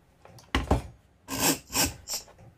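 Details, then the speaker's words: Vevor model 5120 plunge router, motor off: short dry scraping bursts each time the plunge moves after releasing the plunge lever; owner suspects something rubbing against the threads on a screw, plunge still functions okay. "I'm not sure about this noise. Sounds like something's rubbing against the threads on this screw. It seems to function okay. Just has this weird noise."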